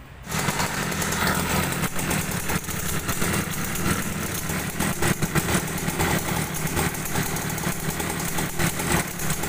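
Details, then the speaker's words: Mini trail bike with a pull-type engine idling evenly, with a steady rough metallic clatter from the right side as if metal parts are striking. The speed holds and the knock does not worsen; this roughness is normal and not a fault. "Hai untuk di Mesir tahi ada suara bunyi itu seperti suaranya kasar saya jelaskan di sana suaranya tersebut itu tidak bermasalah ya"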